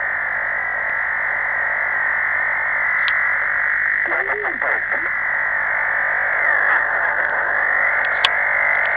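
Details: CB/HF receiver tuned around 27.572–27.590 MHz; warbling tone sweeping up and down in pitch over steady receiver hiss, constantly changing frequency across the band; source unknown, atmospheric or otherwise.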